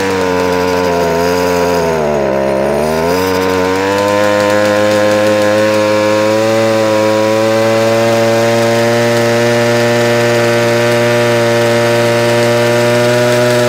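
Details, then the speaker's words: Ryobi two-stroke strimmer after carburetor work and tuning, started off choke: buzz dips briefly then climbs to a steady higher pitch and holds evenly; now running normally off choke. "you can hear by the engine revs it is picking up so we are we are sort of winning I need to run it off a choke fully and then we should get a much better result"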